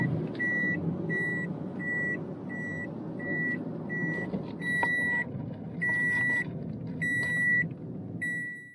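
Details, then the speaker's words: Boot-open warning beeping steadily about every three-quarters of a second over road and engine noise while driving a car with the boot tied partly open; boot ajar warning beep. "great great great idea to leave the boat open and not put the chairs down because now we get to listen to this soothing beeping noise for the next 20 minutes on the drive back to the boat yard"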